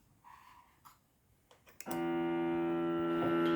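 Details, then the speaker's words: Crunch Xtreme Digital unit powered from the pedalboard's shared supply: faint clicks, then a loud steady buzzing hum that holds; the noise is absent with a separate supply, pointing to a ground-loop hum. "Okay so now I connected to the same power supply as the pedal board so now listen to this a second"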